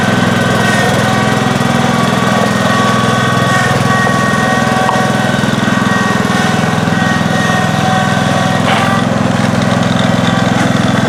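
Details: 1971 John Deere 140H3, Kohler K321 single-cylinder, after carburetor rebuild and new float fixed fuel pouring from carb: steady, even chug with consistent beat, no misses or surging; normal running.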